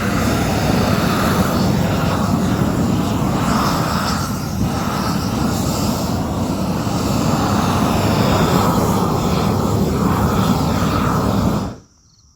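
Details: New upgraded propane weed torch at full flame: steady full-throated roar holding even about twelve seconds, then cutting off cleanly at shutoff; normal burn, good flow, no problems unlike the previous torch.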